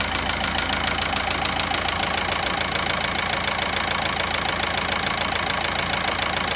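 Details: VW Passat 1.9 engine at idle. A sharp, even ticking at about 3.5 per second rides over a steady idle; the source of the tapping noise isn't pinned down.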